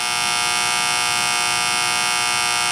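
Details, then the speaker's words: HVAC condensing unit under warranty, cutting off on low pressure, ants in the contactor: constant harsh electrical buzz from the pitted, burnt contactor; replaced contactor runs much quieter. "It's kind of hard to see, but we got the new one in, and she's much quieter."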